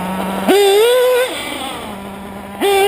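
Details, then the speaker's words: RCR-modded LRP .32 nitro engine with a 2120 Reds pipe and 41032 header, not dialed in: blips up to a high scream, then drops back to a soft, lazy but high idle; running rich all the way around. "as you can see she's island kind of high and she's pretty fat all the way around [Music] definitely not not dialed in"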